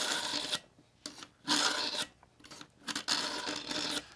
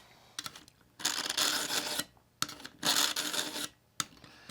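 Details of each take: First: Work Sharp Pivot knife sharpener, coarse carbide slot, lifting blade while pulling back: rough dry rasping strokes every second or two like a file on steel, fading as more passes are made; normal sharpening. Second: Work Sharp Pivot sharpener, coarse convex-carbide stage on a dull knife: harsh raspy strokes in bursts about a second long, like a file on metal, the grinding fading as more passes restore the edge.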